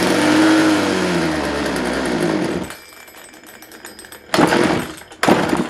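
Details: Craftsman 42cc chainsaw in a very cold unheated shop: buzzes rough and uneven, drops to a sputter, surges in two short bursts, won't hold a steady run; owner suspects carb diaphragms not pulling fuel, only vent siphon.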